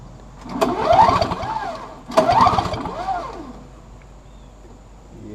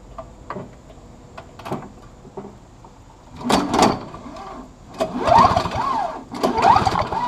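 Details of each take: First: Free trash-picked Snapper 17 LE two-stroke snow blower with weak spark: two quick recoil pulls spin the engine freely with a rising, falling whir but it never catches; cranks, no start, cause not confirmed. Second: Three recoil pulls spin a free Snapper 17 LE two-stroke snow blower briefly with no firing, key switched off; spark was weak in run position; no spark with ignition switch off, confirming the key switch works.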